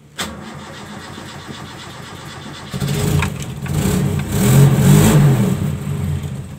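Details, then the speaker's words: Toyota Kijang after its emission control module was serviced: the engine catches, holds a shaky idle, is revved, and dies as soon as the throttle is released. Stalls on throttle release with no idle; the module is suspected still faulty. "nah begitu kita lepas gas mobil langsung mati nah kemungkinan untuk modulnya masih ada masalah ya karena mobil belum bisa stasioner"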